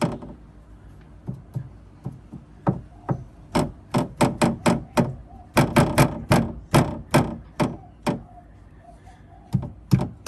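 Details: Porsche Cayenne 958 (92A) rear-end rattle: sharp hollow knocks in uneven bursts from the plastic fuel filler pipe knocking against the metal guard plate; new shocks and bushes didn't fix it, rubber tube insulation did.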